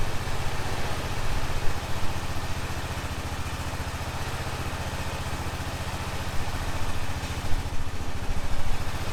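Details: 2005 Honda TRX650 Rincon, 650cc single-cylinder four-stroke, on choke in neutral after a no-run condition: steady, even idle thump with no misses or knocks; warming up cleanly and running healthy.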